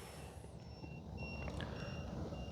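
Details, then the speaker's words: Arrows BAE Hawk 50mm EDF RC jet after about 52 seconds of flight: the motor is silent and the ESC gives alternating high-pitched beeps about twice a second; low-voltage cutoff has killed the throttle. "so it went to low voltage protection here it is here it is guys that's how easy it is throttle cuts on guys"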